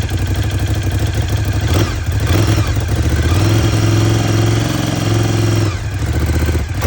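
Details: 2018 Ducati Scrambler 1100 Special, 730 miles, making the noise since new: the twin revs and settles with a rapid mechanical clatter under the exhaust. Ducati calls it normal; the owner suspects piston slap, a cylinder knock.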